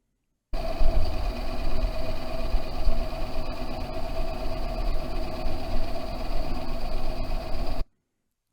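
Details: Ford Ka on road test, NVH accelerometer on the right front wheel hub: steady low rumble with no rhythmic wow-wow pulsing; this bearing is healthy, while the left front bearing was the faulty one.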